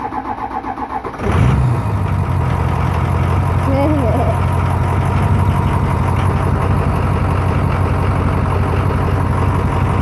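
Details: Ford Super Duty diesel, first start after a rebuild, once primed, with oil pressure and the FICM relay back in: about a second of cranking, then it catches cleanly into a steady, even idle.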